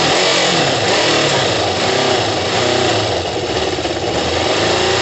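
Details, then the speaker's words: Kawasaki ZL600 four-cylinder motorcycle with new coils, tuned carbs and valves done, just after plug leads swapped to correct firing order; cold, coolant hoses unattached, loud rough catch and uneven revving but firing on all cylinders: healthy start and revving. "oh my god guys it sounds brutal don't worry about the um the coolant hoses aren't attached it sounds oh my god it's not even warm guys it sounds brutal"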